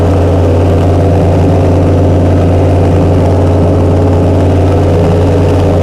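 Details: Chrysler 440 Six Pack V8 with triple two-barrel carburettors, after replacing a damaged centre-carb gasket beside the power valve: deep, steady idle with an even low drone and no stumble or hunting; idling normally.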